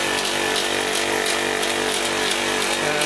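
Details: Failed Copeland ZB42KCE single-phase scroll compressor on a condensing unit for a ten-year-old milk tank, warm: harsh rasping buzz, hiss and uneven rattle about three times a second; restarted pumping noisily, then noise changed and it stopped pumping.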